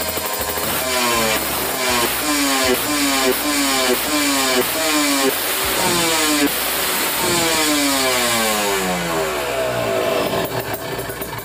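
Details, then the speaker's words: Kawasaki Ninja 150 RR two-stroke with racing exhaust, after cleaning dirty carburetor nozzle that caused misfiring: revved from 1000 rpm idle to 5000 rpm, pulls smoothly with crisp rasp, no stumble, not running lean; normal high-rpm revving. "saya coba sampai RPM 5000 Harusnya sih mulus banget ditarik tuh Nah enak ya Nah ini enggak kekeringan cukup ya ini"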